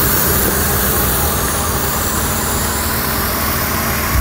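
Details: 3rd-gen Ford Taurus 3.0 Duratec 24v idles low and even under a steady loud hiss from a large vacuum leak: a short 90-degree PCV elbow hose under the throttle body had collapsed and clogged; replacing it fixed it.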